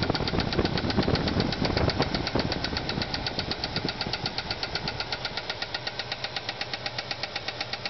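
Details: Ford Fairlane at rough idle: sharp, even ticking about four per second settling into a steady tap; bad lifter on a worn, flattened cam lobe after a spun camshaft bearing, with no oil to the heads.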